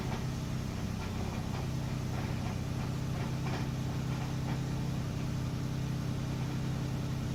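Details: 2012 Lexus 450h on a cold start: low steady idle with a faint irregular metallic rattle over the hum; cause unclear.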